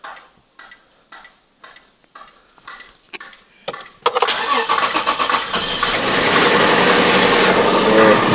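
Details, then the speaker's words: 2007 Toyota Highlander after no-crank no-start diagnosis, mass air flow sensor reconnected and codes erased; even cranking at about four beats a second for four seconds, then catches cleanly and settles into steady idle; some codes remain; normal start and idle. "guys, good. The car is on now and we are good to go."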